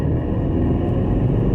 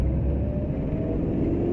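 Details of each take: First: 2011 Maruti Suzuki Eeco in first gear around 40 km/h: deep, boomy rumble builds as it pulls, a coarse drone from the rear silencer that has grown louder over time; exhaust noise under acceleration. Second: 2011 Maruti Suzuki Eeco on CNG after silencer noise fix, accelerating through gears past 60 in third into fourth: smooth rising drone, no exhaust rattle where noise was previously heard; normal acceleration.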